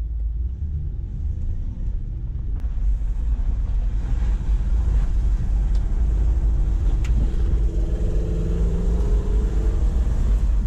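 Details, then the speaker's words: Mitsubishi Delica L400 Spacegear 4x4 van with swapped 1UZ-FE VVTi Lexus V8, exhaust fitted, O2 sensors not yet done: low, smooth rumble, even and subdued under light load, no knocks; super quiet and healthy. "nowhere near as exciting with an exhaust on that is super quiet"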